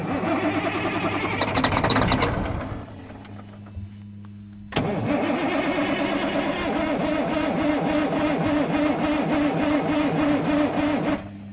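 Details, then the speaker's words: Freightliner FLD120 diesel truck, 397k miles, sat 17 years: steady rhythmic cranking about four turns a second with no firing; air in the fuel from pump to injectors is starving it, being bled by pumping. "I pumped that ever built up but there's gonna be air in it well pump it again you'll start hearing and hearing it going through there"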